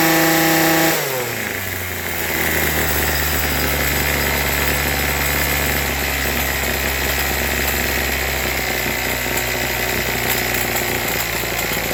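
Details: Troy-Bilt TB2044XP two-stroke trimmer after carburetor cleaning, new fuel lines and tuning, started warm: catches and holds a steady buzzing idle without surging or dying; normal idle.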